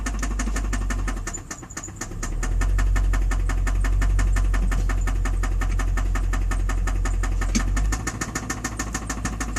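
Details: 2006 Infiniti M45 V8 idling, very low on power, no check engine light or OBD2 codes, metal shavings found in oil pan: steady heavy knock through exhaust rumble; rod knock from worn rod bearing.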